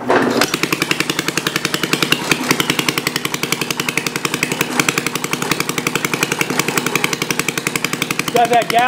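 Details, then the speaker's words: Homemade water-cooled Briggs & Stratton single-cylinder engine, about 65 years old, after valve seat work, throttle slightly raised: quick thumps three to four a second with uneven swell and sag, a gallop with an occasional miss; no smoke; judged good enough. "to it got that Gall get out that Miss every once in a while that's it so you get out of a 65y old engine"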